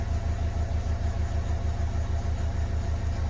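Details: Renault Kangoo K9 diesel that flagged the glow-plug warning, lost power and would not rev, idling after reassembly while pedal sensor data is checked on a scanner: steady, even idle at about three beats a second with a low thrum and no misses or knocks. Healthy.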